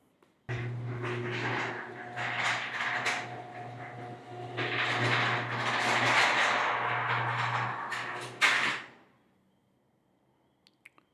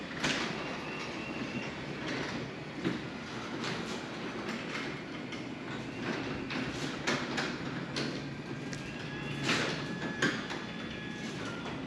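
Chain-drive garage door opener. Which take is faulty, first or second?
first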